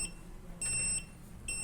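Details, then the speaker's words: Arduino-controlled buzzer on a Jazz Robotics sensor kit board, delay reduced from 1000 to 500 milliseconds: shrill, even beeps of about half a second on, half a second off, beeping faster as intended. "Now you can hear buzzer is beeping faster as I have reduced the delay seconds to 500 milliseconds."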